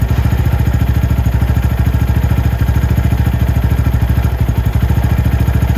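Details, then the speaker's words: Venom X22R Max 250cc motorcycle, idle set by Torx screw above the throttle body: quick, even single-cylinder putter holding a steady, correctly set idle with no misses; briefly raised then returned. "The idle on this bike is perfect. I can turn it up, but I don't really want to."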